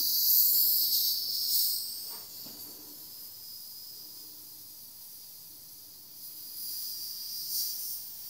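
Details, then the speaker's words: Home central heating radiator being bled at autumn start-up: thin high hiss surging then fading as a good amount of trapped air escapes through the opened bleed valve. "There's a good chunk of air in there. You can see already it flowing up to the top."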